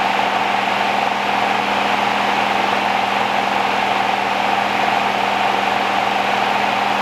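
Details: 1969 Rover P6 Series 1 3500 V8 automatic, first start after 16 years stored, on choke, fuel pump suspected dead: even, steady idle with a smooth low burble and no tapping or rattle over the top; quiet, tight, healthy engine.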